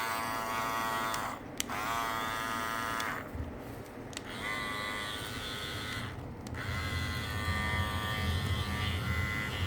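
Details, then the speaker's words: New Andis Master cordless clipper after its lid/cover was reseated snugly into its groove to cut vibration: a steady, fairly smooth buzz with no sharp rattle from the cover. "I put this one on second here we go same good it should be quieter when I listen to watch this back"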